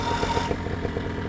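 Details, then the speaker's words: Vittorazi Moster EFI two-stroke paramotor engine with electric fuel injection and a battery-powered start button (double tap to start). It catches almost instantly with no long cranking and settles into a steady low idle: normal quick start. "it's it's almost comical how quickly it starts how different that's what's another thing that's very striking compared to a regular Motors how quickly it starts like it starts like your car you hit it hit the button and it cranks right up no problem"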